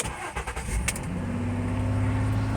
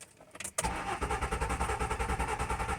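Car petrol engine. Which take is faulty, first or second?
second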